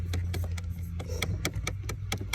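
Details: 2011 GMC Terrain: sharp, even clicks about four to five a second over a low hum from behind the dash, from a failing blend door actuator before replacement.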